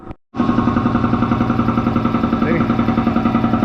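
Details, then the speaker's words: Air compressor running hot and slowing down: steady pumping beat about 3.5 per second with no slip squeal; the drive belt turned out to be loose, and adjusting it fixed the slowing. "She's slowing down. That ain't good. The belt's not slipping."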